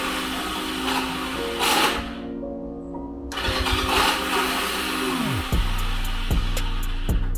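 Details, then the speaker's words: 1986 Honda Rebel CMX250 barn find: the starter whirs up and winds down without turning the engine, then clicks; the starter spins freely without cranking, and damaged starter teeth are suspected. "all right guys so there's definitely something going on with this uh starter or something going on with the crank inside the motor it it's not cranking it's just spinning as you can see"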